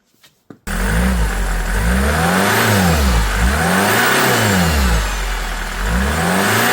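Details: Mercedes C-Class after crash repair (holed intercooler), test start: engine fires and revs through smooth rises and falls, pitch climbing cleanly with no hiss or flutter; running healthy.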